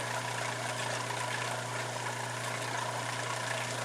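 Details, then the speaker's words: Steady low hum with an even hiss, no knocking, from a new Surflo 4008 Revolution diaphragm pump in a camper running dry with no water, which it tolerates; about 66 dB on a phone sound meter. Normal. "the reason why it's still staying on is because I don't have any water in it but it can actually run dry not a problem"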